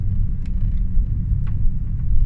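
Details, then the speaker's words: Mk5 Ford Fiesta project car driving after replacing the drop links, tie bars and control arm to cure a front suspension knock: only low road rumble and tyre noise, no repeated thumps; the suspension sounds sound. "we've done the drop links and we have also done the control arm at the moment as we drive and I can't actually hear the knock at all"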